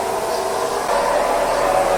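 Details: Automatic car in D: a loud droning, rumbling hum with a mid-pitched whine, which is not a wheel bearing but a more expensive component, likely differential bearing or gear.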